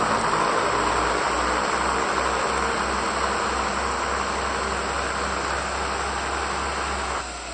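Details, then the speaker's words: Vintage Porter Cable 333 random orbital sander after replacing the fried lower bearing that caused excessive shaking and vibration: even, steady whir with low hum, no rattle or grinding; normal running. "Just like new. A lot smoother."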